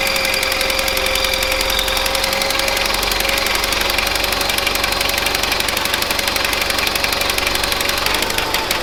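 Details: 1970s Bolens QT16 tractor, long unused, on old gas gravity-fed to the carburetor: catches and runs raggedly at half choke with uneven rapid firing and harsh rattle; carburetor needs cleaning.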